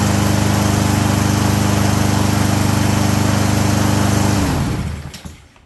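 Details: Push mower with a leaking carburetor bowl (missing bowl gasket), after a too-long cable was wrapped to fit: small engine runs steady with an even beat near 214 per minute, then cuts off and winds down; healthy running.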